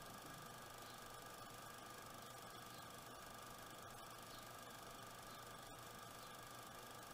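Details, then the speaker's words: Water cooling pump running at 40% speed: faint constant hum with a thin steady whine, no knocking or rattle; annoying noise, cause not found; the noise later went away after disassembly and reassembly. "the pump is running at 40 speed and that's the noise"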